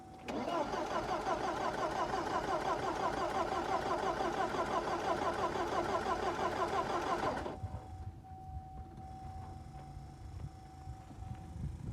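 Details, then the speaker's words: 1985 Porsche 944 that sat unused since 1998, first start attempt after fuel pump check: starter cranks steadily at about three beats per second for seven seconds but never catches; crank no start, spark initially doubted, later confirmed present. "I don't think we have spark. So unsuccessful."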